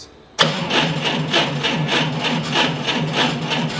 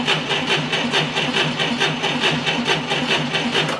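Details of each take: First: Forklift, cranked by remote button with key off: engine turns slowly, about a hundred labouring compression beats a minute without firing; weak battery dropping below 9.6 V cranking, poor 12.3 V recovery. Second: 1990 Ford Thunderbird Super Coupe with brand-new battery fitted for a no-crank problem: brisk even cranking about a beat per second, little voltage drop; normal cranking speed.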